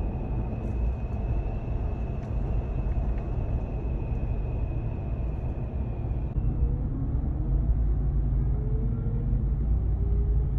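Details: 2021 Ram 1500 TRX crew cab at cruising speed: a thin, steady high whistle rides over the road rumble, then drops away; wind whistling into the cab, leak point unknown, truck headed back to the dealer.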